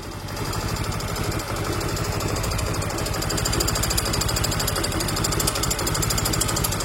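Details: Mio M3 single-cylinder scooter engine: rough, rapid clatter at about three per second over an unstable idle that stalls easily, as throttle is eased; caused by a worn rocker arm shaft and camshaft.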